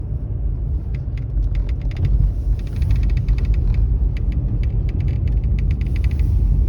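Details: Mercedes-Benz E-Class W213 under warranty, cabin road rumble with scattered sharp crackling ticks in bursts while driving; intermittent dashboard rattle that comes and goes, dealer unable to find cause after about 8 visits.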